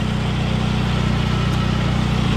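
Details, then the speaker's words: 2002 Saab 9-3 convertible, 176,000 miles, no engine light, with a steady, even petrol idle and no knocks; the engine sounds good under the hood, though a slight exhaust leak is noted. "we've done it under the hood this engine sounds pretty good"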